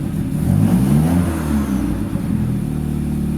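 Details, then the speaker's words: TC car, first start with new spark plug wires: engine picks up cleanly on a quick throttle blip and drops back to a steady, even idle; no misfire, runs healthy. "Sounds really good. Hardly anything can be seen, but something beautiful has happened. Wait for this car to go by. As you can tell, no misfire."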